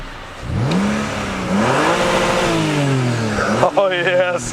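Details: M54B30 in E39 donor, ahead of swap into BMW E28, running about half an hour, started from a battery: engine spins up cleanly and drops back smoothly through each blip, no knocks or misses; slight exhaust condensation; healthy.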